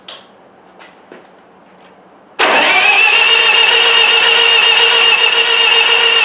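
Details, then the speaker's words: Miller Wildcat 350D engine welder (diesel), high-pressure injection line cracked open at the injection pump: starter cranks steadily about four turns a second but never fires; no fuel delivered, fuel solenoid with blown fuse suspected. "Let's make sure we got fuel coming out of there. I thought we did, but let's double check this to be sure. I'm going to crank it over and you holler at me if you see fuel there, cuz I might not be able to see it."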